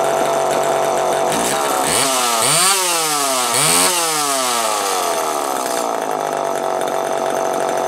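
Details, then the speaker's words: Homelite EZ Automatic chainsaw after repair: Walbro HDC carburetor sorted (it previously ran only briefly after a carb kit), new air filter, new Tygon fuel hoses. It idles steadily and revs up crisply and back cleanly several times with no bog or surge. "As you can hear, it's running pretty damn good right now."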